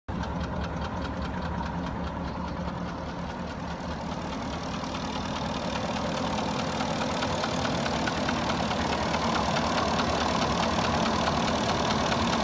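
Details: Warm Porsche Cayenne 4.5 V8 at idle with a regular dull knock a little over two per second; piston slap stated.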